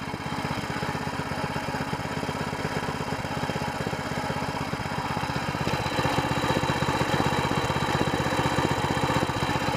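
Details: New SPS longtail mud motor during break-in, fired up again: the small single-cylinder thumps along at a steady, even beat of about four per second with no misses or knocks. A healthy running motor.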